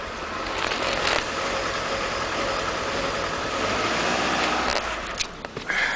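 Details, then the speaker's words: 2001 Mitsubishi Galant that randomly stalls at idle: uneven idle that stumbles off the line as soon as throttle is applied, a misfire from a counterfeit camshaft position sensor, cured by fitting a genuine sensor. "It's a misfire or a stumble soon as you hit the gas."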